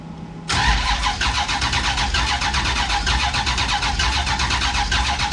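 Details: Big block Duster, first start attempt with fuel present and distributor adjusted: starter whirs with a steady cranking pulse about once a second, never fires. A spark plug was left out; spark present.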